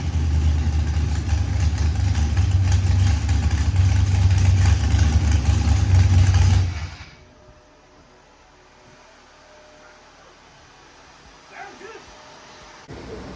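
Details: Procharged LS stroker V8 (Callies crank and rods, 12.5:1 DSS pistons, ported 823 heads, BTR stage 4 V2 cam), first start after 12-1 crank trigger pickup setting fixed: deep, even rumble for about six seconds, then shutdown; normal running.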